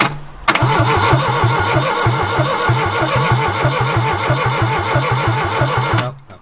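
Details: 1969 Ford Capri barn find, choke shut and timing described as close: a steady starter churn of about six compression pulses a second, then it stops without catching. Cause not confirmed.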